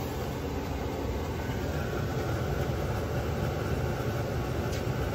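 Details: Webasto Airtop 2000 heater fitted in a Citroen Ami, on fan setting while still blowing cold air: a steady, even rush of air with no ticking, rattling or pitch change. Blower normal.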